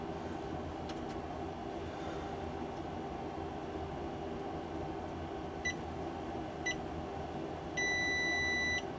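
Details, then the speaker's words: JK BMS on a newly wired EVE 280Ah Grade B battery bank, first power-up: two quick chirps then a steady high beep of about a second over a low room hum; normal BMS wake-up. "Hello. Did you hear that? It beeps at me."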